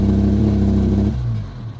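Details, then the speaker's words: Mitsubishi GSR, manual, stalls when throttle is applied: it runs steadily, then dies within a second. It dies on first start and hunts RPM, worse with aircon. The clogged throttle-body air passages were cleared and it then started on one click. "So nabarahan lahat ng dito ah linya ng hangin nabarahan tapos ah aun nag-start na siya one click start na"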